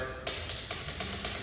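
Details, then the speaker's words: ATV click, no-start: key turned to start gives only sharp, light starter relay clicks with no cranking; the relay clicks, so further testing follows. "and you can hear the click which you typically think it's clicking means the relay is good but I'm going to show you how to test it a little further than that for our no start situation"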